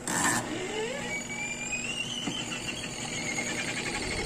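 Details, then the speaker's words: Homey twin tub washing machine, reported not to run, tested on power: spin motor whine climbs smoothly as the spin tub winds up, no scraping or stalling; spin works normally, fault lies in the wash side. "so umaandar po yung spin niya nice kaya lang ang lakas pa ng PR"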